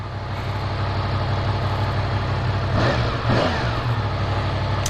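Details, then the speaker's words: 2017 Yamaha FZ10 (MT10) after its first-service oil and filter change, started with a dry filter to check oil pressure: even, steady idle with a smooth low rumble and no ticks, knocks or rattles. Normal idle. "There's no reason that we really shouldn't, but it could take a minute because we do have a dry filter."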